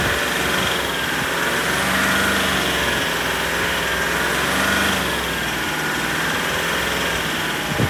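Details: Range Rover SDV8 diesel V8 at idle, still knocking after garage fitted two new turbos, two EGR valves, oil cooler and EGR cooler seals, oversize big end bearings and a skimmed, polished crank; also surges under light acceleration. Faint, uneven tapping in the clatter; cause unknown.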